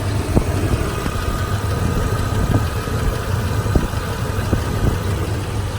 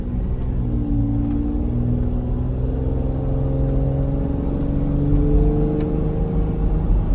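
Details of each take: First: 2003 Toyota Tundra 2WD, 3.4 L V6, almost 200,000 miles, at idle: low, soft, even rumble with only a few faint thumps in the background; very quiet, healthy engine. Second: 2003 Toyota Tundra 2WD long bed, 3.4 L V6, almost 200,000 miles, in the cab while driving and accelerating: low booming drone rising with engine speed over road rumble; noticeable but not terrible drone, cause not confirmed.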